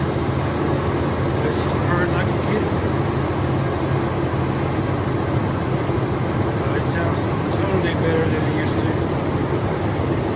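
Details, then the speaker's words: 1999 Dodge Durango 5.9 360 Magnum V8 after top-end rebuild fixing bent pushrod and broken valve spring (had run rough, no power): steady, even low rumble with no ticks or knocks; normal idle. "drove it around and so far it was uh no leaks and she's running smoother than ever"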